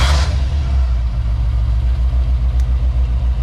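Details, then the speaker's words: 1988 Ford Mustang GT V8 idling with a lumpy, puffing misfire, diagnosed by grounding each cylinder's spark to the battery one at a time; two cylinders show no change, so they are not firing. "Doesn't sound like that cylinder's working. That was not working either? That was not working either."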